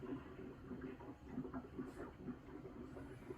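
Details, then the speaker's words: Water heater (rated 40 gallons, heavily corroded inside, elements just replaced as temporary fix for no hot water) refilling before breaker is switched on: soft irregular bubbling and gurgling over low rushing water, tank topping up, no leaks. "So if you listen to it, it'll tell you when it's full."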